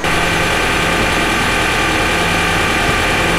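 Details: New Zealand dairy cowshed milking vacuum pump, worn out and due for replacement: loud constant roar with a steady hum underneath, recorded before the upgrade as the excessively noisy old pump.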